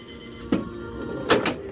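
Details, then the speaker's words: Williams Congo pinball machine during play test after lower playfield install: sharp, somewhat loud diverter solenoid clacks at irregular moments over game music; owner judges the loudness normal for this diverter. "that diverter it's a little loud but I think that's just how that's going to be"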